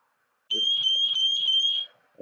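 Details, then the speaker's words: Meross GS828 carbon monoxide alarm, electrochemical sensor, rated over 85 dB at 100 cm: piercing high-pitched tone about a second and a half when test button pressed, normal self-test. "alarm sound is over 85 decibels 100 centimeters and basically is a loud alarm which i will demonstrate for you by pressing the test button"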